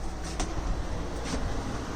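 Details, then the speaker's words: Replacement window air conditioner installed in 2013 Aliner camper: steady, even low hum and airy rush, no rattles or squeals, unit warm not hot, cool air inside; normal. "So it's all plugged in, you can hear it running, and it's nice and warm, not hot."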